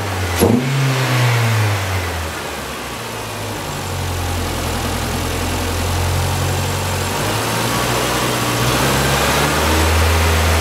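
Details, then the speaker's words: 2006 Mini Cooper, 1.6 L engine, about 55,000 miles, five-speed manual, front-end damage, being parted out: starts cleanly, holds a steady even hum, then revs rise and fall smoothly with no knocks or misses. The engine runs excellently. "and you can hear excellent running 55,000 milder"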